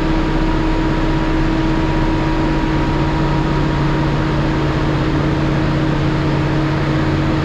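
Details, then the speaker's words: Cummins ISL9 after in-frame rebuild (dusted from poor maintenance; top compression rings on cylinders 5 and 6 were broken): smooth, steady full-throttle drone. Crankcase pressure used to trigger the stop-engine lamp at half throttle; now no lamp at full throttle, good oil pressure. "Even with the new Bobi filter, about half throttle, the stop engine lamp was coming on because of crankcase pressure, because of all the Bobi. Now I'm full throttle and they don't come on."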